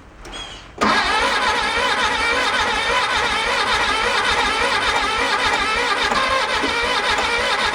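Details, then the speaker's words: 1966 VW Bug after filing and cleaning and refitting the rotor: cranks and catches after a second, then runs ragged with a lumpy stumbling beat that comes and goes; owners suspect a binding or hanging valve. "that didn't sound good at all thinking the valves are kind of a little binding a little go ahead I'm not sounding too promising"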